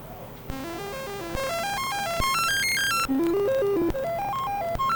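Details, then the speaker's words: Commodore computer under repair, running the dead test diagnostic's SID sound-chip test: stepped beeping tones climbing and falling in quick sequences, some notes sounding off. The SID chip is marked marginal; the cause is unconfirmed. "okay so I went back and checked the video um it just sounded kind of weird I'm going to put an M for marginal on the sit chip here"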